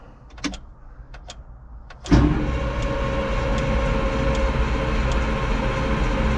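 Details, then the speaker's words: Old Caterpillar 225 excavator diesel, fuel shutoff wire disconnected, cranked without starting to prime the oil and hydraulic pumps: a few clicks, then a steady starter grind at about 3–4 turns per second. About 5 gallons circulated; a good sign. "just as I suspected as you saw that it pumped through that's about 5 gallons that it circulated through the system so that's a really really good sign"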